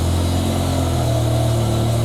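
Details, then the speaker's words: BMW E60/E63 M5/M6 V10 after replacing the failed #9 ignition coil on the driver side: deep, steady idle with an even drone and no misfire; codes cleared and engine healthy. "and there we go cars sound so much happier"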